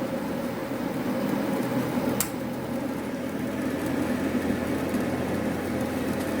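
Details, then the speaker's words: Carrier Infinity 58MVC080 furnace, previously flooded in 7 ft of water, with the inducer motor replaced, started on a heat call: a steady whooshing inducer hum and one sharp pressure-switch click closing the circuit, a normal startup. "So the inducer motor started, as I seen before, which was the inducer motor failed before, and you will hear another click from the pressure switches on or closing the circuit."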